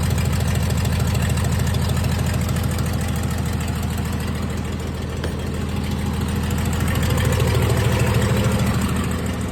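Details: 1996 Dodge 2500 diesel, no turbo or exhaust manifold fitted after turbo failure, idles rough with a lumpy, uneven pulse about three beats a second; owner suspects injection pump setup and oversized injectors, not confirmed.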